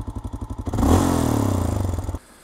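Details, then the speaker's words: Honda Dominator 650 single-cylinder on a dual-sport trip, recurring engine noise: lumpy idle, then a quick rev with a metallic clatter on top before it cuts out; top-end clatter, cause undiagnosed. "चलो सड़क पर वापस आते हैं दोस्तों शोर वापस आ गया है क्या आप सुन सकते हैं कि यह वास्तव में बुरा लगता है, यह क्या है"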